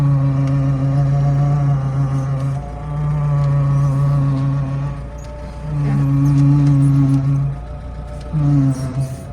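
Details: BMW 3 Series E36 power steering hums when turning, a steady low hum rising and dropping with the wheel; suspected causes include a slack or worn belt, air in the system, or old or thick oil, unconfirmed.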